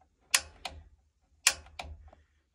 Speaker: I'm gonna turn the knob to pilot, push it in, and start hitting the igniter. Every couple of seconds, just give the igniter a spark.